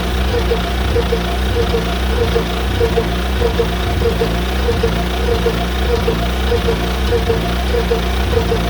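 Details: John Deere Model R tractor big diesel engine idling after the pony motor was rebuilt, reinstalled and used to start it, following injector work and freeing a sticking fuel rack; slow, even chuff with no knock or stumble; normal idle.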